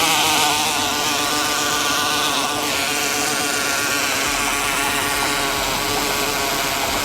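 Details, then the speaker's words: Cordless drill in a DIY test rig, in gear 2 with the trigger tied on, driving a paddle through water: steady motor whir under load with irregular ratcheting chatter, the clutch slipping because the drill was left in screw mode. "What did we learn? I put it onto screw, not onto drill. So that's why you could hear the clutch giving it some then."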